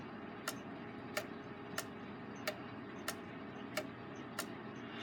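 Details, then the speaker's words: Rebuilt Gilbert long-drop octagon clock running on the wall, springs not fully wound: ticks a bit over one per second with slightly alternating gaps. Escapement drops are slightly uneven and the escape wheel may be out of round, causing slight phasing. Judged minor. "aren't quite even either which adds to the sound that makes it sound like it's not a beat"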